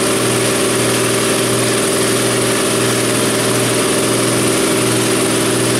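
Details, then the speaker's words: New Ingersoll Rand 20-gallon Garage Mate air compressor filling from 0 PSI, cutting off around 135 PSI after 4 minutes 2 seconds, oil level good, recorded in an echoey garage; loud, steady drone with an even low hum, no rattle, knock or surge. "And it sounds just like it, but quieter. It's really nice."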